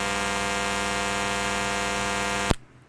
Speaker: And now I'm going to be plugging in the fast charger once again. And you're going to hear buzzing noise.